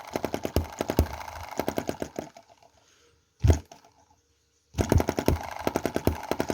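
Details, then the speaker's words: Small Chinese EM2/M19 single-cylinder hit-and-miss petrol engine, running rich with a fouling spark plug, fires in uneven sharp pops then drops out, low power; misfire addressed by adjusting valve timing. "just doesn't have a lot of power and you can hear those... kind of - misfires"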